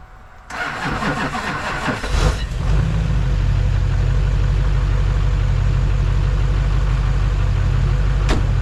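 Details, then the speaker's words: Hummer H1 with Duramax diesel, first start after sitting 2.5 years, fuel primed a couple times: short cranking, catches at once, settles into steady even idle with clean low clatter, no misfires; normal cold start. "I was not expecting that I fired right up it was crazy"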